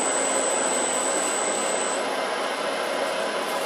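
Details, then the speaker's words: Grizzly G0752 lathe on its test run, not break-in, spindle in forward: display shows 270 rpm, then it is slowed toward 150. A steady, smooth whir with a thin high whine that shifts as it slows; no knocking, so the spindle runs normally. "Turn this to forward. Then it says turn the spindle speed dial until the spindle display shows 150. It's spinning. Actually, it's showing 270."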